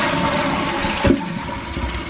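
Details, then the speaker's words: Toilet after the float and fill valve were replaced to fix constant running. A strong rushing flush settles into a steady refill hiss, then shuts off completely at the fill line; normal flush and refill. "it goes down and you'll see it drains right to the top of this and completely shuts off"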